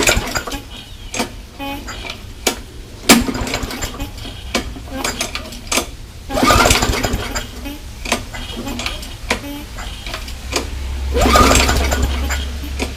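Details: MTD mower with a Briggs & Stratton Classic engine thought to have no compression, primed with fuel in the tank: several pull-cord rattles, then a low steady putter settles in; it starts and keeps running; normal start.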